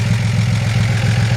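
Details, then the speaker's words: 1941 Chevrolet Business Coupe with an engine believed non-original, likely a mid-1950s 235 six, with what is thought to be a Fenton dual exhaust: smooth, even low idle with a steady regular beat, no knocks or misfires; normal idle. "I think it's like looks like a 50s, mid 50s model, 235. It sounds like it runs perfect."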